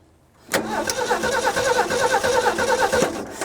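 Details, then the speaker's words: 1967 Ford F-100 with a 1970 grille and electric choke: steady starter churn at about three beats a second, engine never catches, no fuel pressure. Owner wonders if the float is stuck shut or the pickup tube is bad. "So I started getting some fuel. I'm kind of wondering if the float's stuck shut and it's just not letting it pump. Probably not. There's no pressure there, so."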